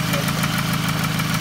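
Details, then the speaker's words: 2006–2008 Toyota Camry 2.4 L idling: fast light ticking puffing in time with firing; owner suspected exhaust manifold leak, replaced a lifter without change, later attributed it to the intake manifold. "it's a lot of noise for i think the exhaust adjust manifold noise from there i change a lifter it doesn't work still noise now"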